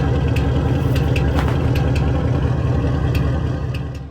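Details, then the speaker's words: V8 with headers (Camaro LT engine) idles rough with an uneven, stumbling lope and irregular puffing, a "chicken sound" misfire; cause was a spark plug wire burnt by the headers, replaced with Speed Engineering wires. "all right you hear that chicken sound that's a misfire happening i couldn't figure out what it was but then i found out it was one of my spark plug wire that was burnt up because of the headers"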